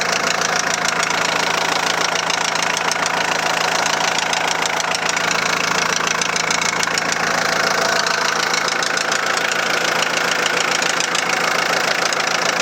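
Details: 2001 VW Transporter T4 1.9 TD diesel at idle, rocker cover off showed nothing: sharp, hard metallic knock about three per second over the clatter; teardown found big end bearing surfaces almost gone, rod knock.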